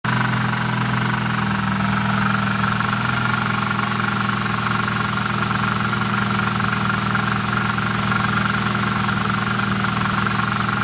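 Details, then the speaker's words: Nissan 240SX KA24DE petrol engine at idle makes a light, fairly regular ticking, about four a second, over the hum; something is also shaking underneath, later fixed, but the ticking noise's cause remains unknown. "some weird ticking noise. I don't know what the hell it is."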